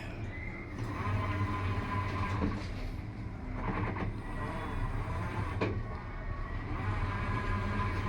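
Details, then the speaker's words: Automatic washing machine under a heavy, nearly full load after repair (gear and spring replaced, earlier noise from overloading): steady low motor hum with soft sloshing, no scraping or clacking; earlier noise gone, running smoothly. "Yun yung yung mahalagang nawala yung may gumaganon dati diyan eh. So nagpalit ako nung ano niya nung sa geer niya t saka yung sa spring."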